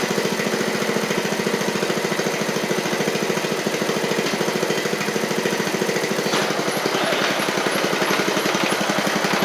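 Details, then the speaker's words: 7-year-old MTD Murray riding mower, single-cylinder with oil a little low: it ran great at first, then chugs with a ragged, uneven beat. The owner suspects water in it; the cause is not confirmed. "back good why did that might be some water in it darn it run ran great right off the top there"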